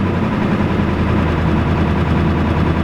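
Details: Ford F-250/F-350 7.3L Power Stroke diesel, about 26 years old, smoking, no oil pressure showing: deep, loaded idle with uneven stumbling beat and dropped pulses; missing badly at idle, owner suspects injectors not getting oil, unconfirmed.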